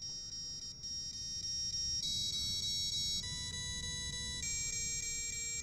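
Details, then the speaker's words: FPV quadcopter whose ESC rebooted mid-flight during PID tuning (motors already shuddering, suspected bad tune): run of clean high stepped beeps, the ESC startup tune, showing a full ESC reboot in flight. "okay so that was the startup music from the esc so the esc had a full reboot"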